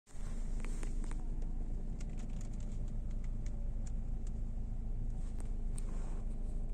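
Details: Knocking steering rack: scattered sharp, irregular knocks coming up through the front end over a low road rumble while driving; cause not yet found.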